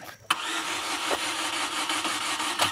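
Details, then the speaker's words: Chevy Aveo cranking after severe misfiring, red-glowing exhaust manifold and power loss; spark and injector pulse present: fast but uneven cranking, no firing, lopsided beat; compression problem suspected, possibly severe flooding/cylinder wash. "We can hear a compression problem, but it might be severely flooded. Given the symptoms, that's probably what's going on."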